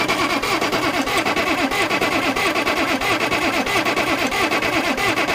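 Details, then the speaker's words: Oliver 770 industrial tractor diesel after the return-line fitting and number 1 injector line were tightened: even cranking about 90 strokes a minute with sharp puffs and smoke as the number 1 injector starts popping; one cylinder beginning to catch. "at that, smoke. Smoke. There's only one way that could be happening. The injector's popping."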